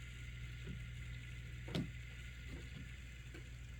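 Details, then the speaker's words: Life-Like Proto 2000 model locomotive, old DC unit, first test run. Low motor hum with uneven sharp cracks about every half second; cracked axle gears, and owner suspects old factory grease in the trucks adds noise. "I don't know if you can hear that cracking, but that is very indicative of we're going to need to replace some axle gears."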